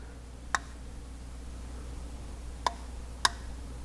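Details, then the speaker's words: 1961 Ford F100 Unibody straight-six, out of the truck, turned slowly by hand: three sharp, irregular pops, seemingly from number six cylinder (damaged by a screw) or a main bearing; owner suspects rings sticking on a glazed bore. "there was just popped again almost seems like it's coming from right here in the one of these uh main bearings"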